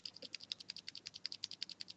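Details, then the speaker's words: Cherry MX Silent keyboard switch giving sharp, thin ticks on every keypress, about ten a second, no thud underneath; ticking lessens when switch housing is pressed together, so loose top and bottom housing halves are suspected, not confirmed. "there may be a problem with the top at the bottom not being as firmly together as they should and this could be the reason for the ticking noise"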